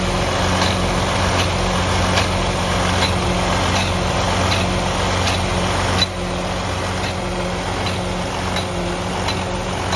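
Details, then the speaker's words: Detroit DD15 truck engine with excessive regens, fuel draining back to tank overnight: heavy diesel idle with uneven, pulsing beat three to four times a second; air in the fuel reaching the rail and injectors suspected as the cause. "I believe that the noise that we were hearing in the first part of this video was due to the air in the fuel. The air was making its way all the way down into the fuel rail, and when it was time for the injector to fire, it was just injecting air, a mixture of air and"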